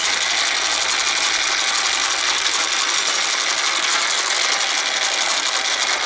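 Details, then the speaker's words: American Changer first-generation green stripe coin hopper in for excessive noise and vibration, run empty: loud, steady high-pitched grinding rasp throughout; worn gearbox gears. "That is uh that's not the loudest I've heard, but it's close to crazy loud. Nobody wants to listen to that."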